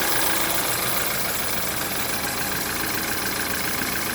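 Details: BMW F10 N20 engine at idle after timing chain replacement: faint, fairly regular rattle about three to four per second up front; timing chain noise, cause unconfirmed.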